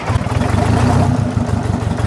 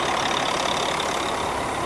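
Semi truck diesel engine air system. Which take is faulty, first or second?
second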